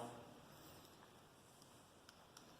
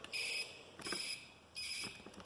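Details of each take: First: Taotao TBR7 250 turn signal beeper before removal; a steady on-off electronic beep, roughly one chirp every 0.7 seconds in time with the flasher, with the unit working normally. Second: Taotao TBR7 250, bodywork removed: high shrill chirp in short bursts about every 0.7 seconds, switching on and off with the flasher; the turn signal beeper speaker, before it is cut out.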